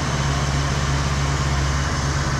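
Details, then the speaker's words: Ford Pinto wagon with EFI 2.3 swap, first start after bleeding coolant air: loud idle with low drone stumbling unevenly, possible misfire suspected; charging only 11.5 volts, voltage regulator doubted. "so I wanted to get all the air out of the system it kind of still sounds like it sounds like it has a misfire kind of sounds like crap"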